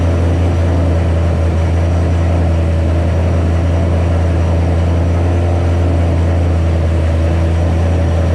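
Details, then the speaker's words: 2007 Ford Shelby GT500 (supercharged) on first start after L&M NSR cam install with Venomous Tuning tune: loud, constant deep drone, no dip or hunting, well above normal tickover; idled real high on initial start, later lowered by a tune revision. "all right so a little bit has happened since that last split pretty much you saw the car start up idled real high let it go i was looking around at stuff and turned it off"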